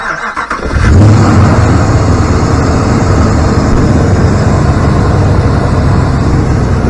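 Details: 2014 Ram 2500 5.7L Hemi V8, after exhaust manifold stud repair and P0307 cylinder 7 misfire work, with rocker assemblies pre-oiled by cranking, cranks briefly, catches, and settles into a steady, even idle with no ticking or misfire.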